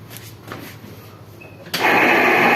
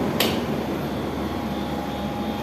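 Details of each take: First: Window AC fan motor switched on; quiet, then a loud, harsh, rough raspy whirr from worn fan motor bearings, cooling otherwise fine; the motor is to be opened and its bearings changed. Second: Window AC after fan motor noise repair: steady even hum from compressor and fan with no rattle, scrape or squeal; runs quietly and healthy, meter reading about 5.34.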